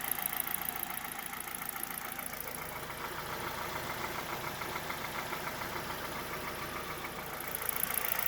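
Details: 2011 Hyundai Solaris, G4FC engine, 166,000 km, 15°C outside, warming up at 58°C coolant and about 900 rpm idle: a fairly regular light top-end knock, absent when cold and growing with warmth. Owner suspects piston slap or valve clearance; chain, tensioner and phaser were already replaced.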